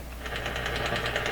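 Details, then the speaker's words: Westinghouse 636 shortwave radio during alignment at about 11.8 MHz: steady putt-putt of sharp clicks about ten per second over radio hiss, coming and going; outside interference, source not found. "Putt-putt has arrived. We got to deal with it. Is the putt-putt coming from the radio?"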